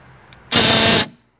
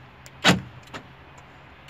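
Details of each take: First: Right-side door central locking actuator motor, reworked the week before: a harsh half-second grinding buzz when unlocking, locking is fine. Motor faulty, replaced with a new unit. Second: Right door central locking motor replaced with a new one after the repaired aftermarket unit became noisy, tested on temporary wiring: two crisp clunks about three seconds apart with faint follow-up ticks, no grinding; noise gone, normal.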